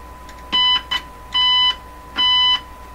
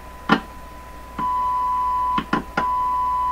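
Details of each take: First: Crosley 12B tube radio probed at the 6SQ7 stage with a signal tracer, attenuator off: short, harsh, buzzy tone bursts with a gritty edge instead of a clean note; signal tracer overloaded and distorting. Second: Canadian Crosley 12B radio checked with a signal tracer: a clean, steady test tone between switching clicks, no mains hum, unlike the second radio, which hums; this audio stage sounds healthy.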